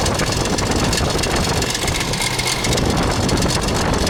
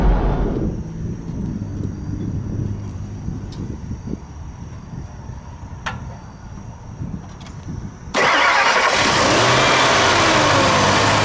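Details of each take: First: 2000 Ford Expedition 4.6 V8 idling with a constant busy rattle like marbles in a can, from a timing chain slapping against the side of the housing. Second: 2000 Ford Expedition 4.6 V8 after a timing chain rattle repair: starts and settles into a steady, smooth, even idle with no rattle or noises, a normal start and idle.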